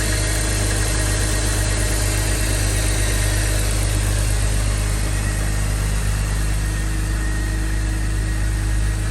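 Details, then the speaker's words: 2005 BMW X3 (M54) after replacing the serpentine belt tensioner, serpentine belt and AC belt: smooth, even idle with a steady low hum and no squeal, chirp or rattle from the belt drive; engine bay noise fixed, normal idle. "As you saw guys, we fixed the noise that was coming out of the engine bay."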